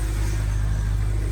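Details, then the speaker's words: Cold start of a BMW E90 N52 with rough-idle history, after rewiring the O2 sensor connector: smooth even six-cylinder idle, steady drone, no stumble or misfire; normal so far. "The car is running good so far. Let's see if it warms up and it starts misfiring or not."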